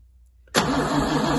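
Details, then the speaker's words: MGC 3.0 straight six garaged about 33 years, carbs rebuilt, cold start attempt: starter cranks at a steady pace but the engine never catches; no start because the choke was not connected. "Right, the choke wasn't, choke's not connected. I'll put it manually."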